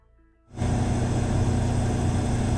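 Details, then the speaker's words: Cummins Power Connect standby generator with Level 2 sound kit at 100% load, eight microphones 7 m away in acoustic test centre: starts and settles into steady even low drone, no knocks or surges; 4 dB quieter than competitor; normal running. "Each unit was running at 100% load. Let's listen to the Cummins Power Connect model with the Level 2 sound kit."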